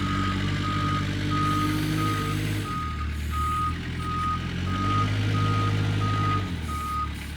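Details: Kubota 520 hydrostatic wheel loader, tested at the pile after a wiring-harness repair for being stuck in low range. The reverse alarm beeps about twice a second while the diesel note dips and recovers smoothly reversing under load; nothing abnormal.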